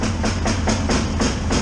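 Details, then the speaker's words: 2005 Yamaha Grizzly 660 sputtering in reverse only: engine spits and stumbles in even pulses about four a second while backing, never smoothing out. Cause was a gap at the positive battery terminal, possibly from a too-long bolt. "so the positive terminal on the battery was having an issue I don't know what the issue is something with the battery there's like a little bit of a gap"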